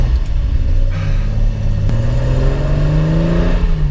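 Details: Home-built Datsun 240Z on its first longer road trip shakedown, just refuelled after running out of fuel; engine pulls smoothly and steadily, pitch rising evenly, no misfire or stumble; normal running.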